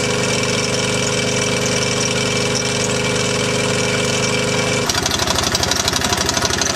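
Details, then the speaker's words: T80 air compressor on an engine, running loaded: a high-pitched squeak plus a fast, uneven rattle about four a second. It still makes air and pops off, and the rattle stops when unloaded. A worn eccentric bearing is knocking inside. "you can hear the squeaking in the background that's that's the compressor doing that along with most of the rattle in here here but the high pit squeak is diing it's still producing air and here is popping off so still doing it job but it's not long for the world the way it is"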